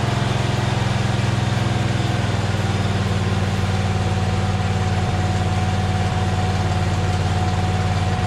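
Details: John Deere Z425 zero-turn with a swapped-in donor twin, running after refitting the belts: steady, even low rumble with a smooth firing beat and no knocks or misses. Running healthy.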